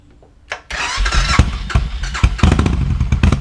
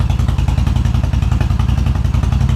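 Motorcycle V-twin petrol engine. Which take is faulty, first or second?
first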